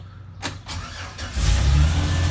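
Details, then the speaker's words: 2008 Chevy Express van cranked on its old battery; a few brisk cranking turns, then it catches and settles into a steady low idle, crank speed healthy enough to return the new battery: normal cranking and start. "oh listen to that thing crank up see yeah I'm going to go return that battery um that sounded healthy enough to make me happy"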